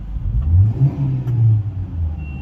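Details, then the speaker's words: Hyundai i20 after gearbox service for a noise caused by oil fully leaked out and dried up: engine revved with the accelerator gives a smooth low drone, no whine or grinding from the gearbox after the trial run. "अभी इसके gear box से कोई noise नहीं ए रही है मैं आपको गाड़ी चालू है एक्सीलेटर करके दिखता हूं ये देखिए"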